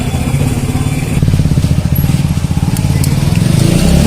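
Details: Hero HF Deluxe single-cylinder bike after decarbonising with a new piston and valves fitted to cure a crank-like knock; it thumps in an even, steady beat, picking up smoothly with throttle, no knocking or rattle; engine runs healthy.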